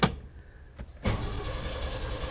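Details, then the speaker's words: 1991 Chevy S10 Tahoe, new starter after a wrong one, coil wire disconnected so it won't start: click, short pause, then smooth cranking with no grinding or thumping; right starter fitted. "Oh, what a beautiful sound. It's not starting, of course, because I don't have my wire hooked up, but I just want to hear that starter turn over. Yes. No thumping, no grinding. It sounds really nice."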